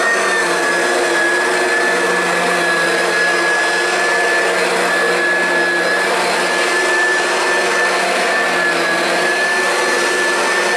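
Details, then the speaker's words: Oreck XL Classic upright vacuum, over 20 years old, after replacing the brush roll with failing bearings: smooth steady motor whine and even airflow, no rattle or grinding; quieter than before. "sounds good to me no more bearing spaz out sounds seems like it's working a little better too"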